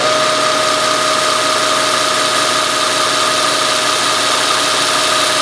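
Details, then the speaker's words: South Bend toolpost grinder after the lumpy V-belt was replaced with a smooth link belt and new spindle bearings fitted: smooth, steady high whirr of bearings and a little belt noise, quiet enough to talk over, no thumping; running normally. "quiet all you really hear is just the Whirl of the new bearings inside this spindle and um you know a little bit of the belt itself I mean it just it has some sort of noise but you know I could talk over it it isn't terribly loud"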